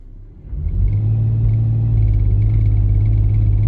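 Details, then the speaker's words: Van (wheelchair-accessible) with check engine light and a shake on acceleration, power-braked in gear: idle is clean, but under load misfire monitors count cylinder 6, with a deep uneven rumble; cause unconfirmed (coil or plug suspected). "there you go y'all see Cylinder 6 counting guys we have a problem with Cylinder 6 it could be a core it could be a wire no there's no wires it could be a plug"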